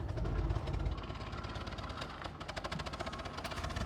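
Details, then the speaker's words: 2014 Ford Explorer Police Interceptor AWD, 3.7 L V6, 63,000 miles, heard at the exhaust: uneven, stumbling idle with irregular pulses and dropouts; engine shaking and throttle unresponsive; bad misfire, cause unknown. "You can hear the exhaust how bad it's misfiring."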